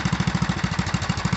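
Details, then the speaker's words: 1974 Sears ST/16 tractor, Briggs & Stratton 8hp single-cylinder, idling after pushing a 1999 Ford Ranger: quick, even putter about eleven beats per second, no misses; owner thinks idle is slightly high and may lower the idle stop screw. "amazing it almost almost sounds like i could idle it down some more i might might do a little tweaking on that uh and that idle screw"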